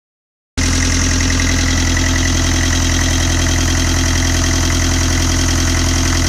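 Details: 1995 Land Rover Defender 110, 2.5 naturally aspirated 12J diesel, first run after a rebuild: steady, even diesel clatter at idle with a firm low thrum and no odd knocks; normal healthy idle.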